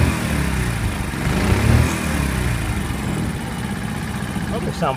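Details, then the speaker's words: Small horizontal Honda single (C50/70/90 Super Cub type) just after valve adjustment, cold started: steady, even low putter with no valve tapping; normal cold idle. "usually they sound like a little sewing machine"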